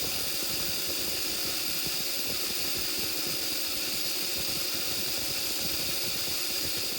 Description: Apparently, running a treadmill motor without a choke is a bad idea. And, as you will see in this video, the motor produces LOTS of sparks when run without a choke.